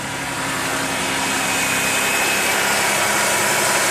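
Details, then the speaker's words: 2009 Dodge Charger first start after oil pump replacement and timing chain reset, crank pulley bolt torqued to 130 ft-lb: smooth even idle with steady hum, no knocks or ticks; engine purring, healthy. "Well, I got it back together, got it in time. Let's fire it up and see how she sounds. Oh yeah, she's purring like a"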